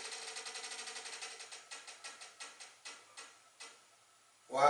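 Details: Hustler Raptor / BigDog Alpha zero-turn mower: dry steering stick squeaks and creaks about five times a second, slowing and fading as it is worked back and forth; one stick in reverse also sticks and won't self-correct fully.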